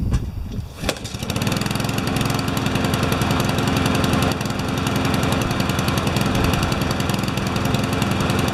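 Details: Honda lawnmower with automatic choke, started before its tune-up (one of two mowers, one on an MTD frame): a quick pull-start catches at once into a steady, even buzz with no shake or wobble; healthy running.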